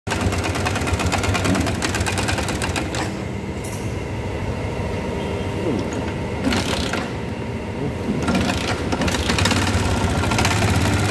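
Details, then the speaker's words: Yamaha Jupiter MX motorcycle, at start-up idle: rough, loose, uneven mechanical rattle over a low drone from the engine. "ya motor ini mengalami kerusakan atau menghasilkan suara the merasa kemratak di mesinnya pada saat mesin dinyalain"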